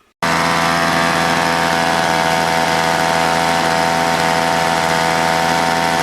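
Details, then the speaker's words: Old Toro two-stroke snowblower after carb rebuild, gasket and diaphragm possibly swapped, both jets set one turn out: loud steady buzzy fast idle with faint unevenness, a little uneasy but starts and runs; slightly uneven running. "i put both the jets one turn out and it's it's a little uneasy but it runs it starts up"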